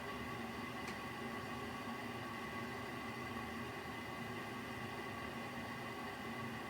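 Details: Ideal Isar HE30 boiler starting up, then a loud vibrating noise: a steady, loud droning hum and buzzing that holds constant. The owner keeps it turned off because of it.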